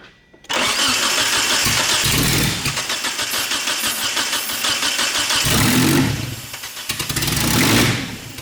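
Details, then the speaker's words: 1991 Eagle Talon TSI AWD at its first start attempt: starter churns for seconds with weak catches that never take; spark present but no fuel despite fresh fuel; owner suspects injectors not firing, and the fuel pump is later replaced. "okay so during that start you guys could hear it wanted to kick over so we definitely know we got spark but we're not getting any fuel and we just put two gallons into it a fresh fuel"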